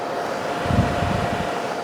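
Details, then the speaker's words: Honeywell air purifier fan after cleaning and super-gluing the rattling parts: steady soft airy whoosh with faint even hum, no rattle or ticking; much quieter, running normal. "It's definitely way, way, way quieter than it was. Heck yeah. Okay. So much quieter."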